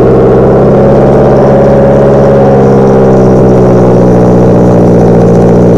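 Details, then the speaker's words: 2015 Subaru Impreza, first start after installing an Invidia R400 catback exhaust: a deep, steady exhaust burble at idle with an even rhythm and no puffing or hiss; a smooth, calm idle. "Nice calm idle, love that. I'll give a couple revs in here."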